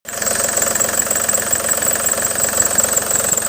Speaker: So läuft der Motor. Es gibt ein Geräusch. Sehr wahrscheinlich ist der Riemen zu wechseln.